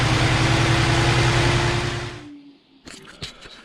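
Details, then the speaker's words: 2000 Jaguar S-Type 3.0 V6 that misfires heavily and has many stored codes, during spark testing of individual coils. An uneven idle stumbles regularly about three times a second, then the engine dies away; a bad ignition coil is confirmed as the cause of the misfire. "that was definitive so it's got a bad coil that was easy enough to figure out no fancy tools needed just my little $4 test flight"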